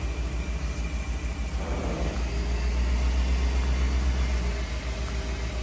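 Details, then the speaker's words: 2010 Chevy Suburban 5.3 V8 at idle: steady growly whir over an even idle, centered at the front of the engine; growly alternator, replaced along with pulley and belt. "Yeah, she's making the noise straight."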